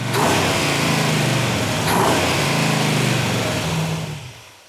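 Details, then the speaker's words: Rebuilt muscle car engine with a lumpy "thumping" cam: lumpy idle, then quick throttle blips rising and dropping back cleanly with no knocks, good oil pressure; revs freely with quick throttle response, runs fantastic. "oh I don't know about God that sounds good yeah look at the oil pressure woo holy cow the engine runs absolutely fantastic"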